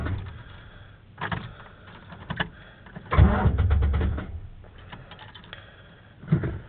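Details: Truck that sat about two weeks: several short spells of starter cranking, engine turning over evenly but never firing; cranks but won't start.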